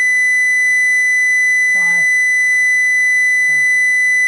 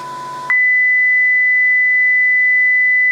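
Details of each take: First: Homebuilt transmitter-receiver link, modulation tone raised from 1000 Hz to about 2000 Hz, system still warming up: constant shrill tone with a harsh buzzy edge over hiss; modulation amplitude far too high, strong distortion, source uncertain. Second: Receiver module reproducing the transmitter's audio-tone modulation raised from 1000 Hz to 2000 Hz, with higher output at 2 kHz: a clean, steady high-pitched tone without wavering or distortion. Normal received tone.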